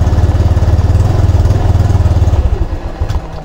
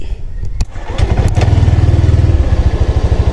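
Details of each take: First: Honda Click 125 V3 scooter, 2,781 on the odometer, cold start, hard-starting and stalling in traffic: engine chugs evenly, then beats slow, stumble and it dies within seconds; idle speed set too low. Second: Honda Click 125 V3 scooter push-started after repair that fixed hard starting, stalling in traffic and knocking; catches at once and settles into an even steady putter without stalling. Idle RPM not yet verified against a Honda Click 150.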